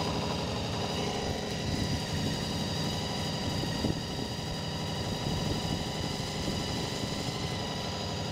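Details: Honda VFR400 just after the carburettors were cleaned, idling while the carbs are balanced. Idle rises as the carbs are adjusted, so it is being turned down. Steady, low, even burble with no misses or knocks: normal idle.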